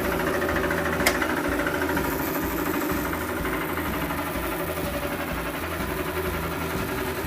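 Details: Several-years-old Grizzly G0555 bandsaw coasting after switch-off: rough pulsing rumble and rattle from a going-bad lower wheel bearing, before bearing replacement.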